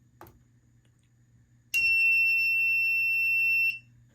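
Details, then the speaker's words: Fire-Lite MS-2 fire alarm panel after reset, no batteries connected: click then steady high-pitched trouble buzz about two seconds; suspected power trouble from missing batteries or a NAC fault, not confirmed. "and the reason why there's a power trouble is because there are no batteries hooked up system trouble I believe it's either the power trouble it's either because of the power trouble or because of the Knack fault"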